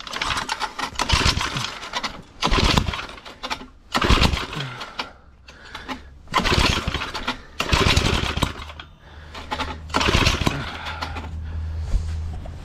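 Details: Cheap secondhand small tiller (motoculteur): about seven pull-start bursts, each a couple of seconds with a brief putter, never catching; owner plans to clean the spark plug and check fuel delivery, cause unconfirmed.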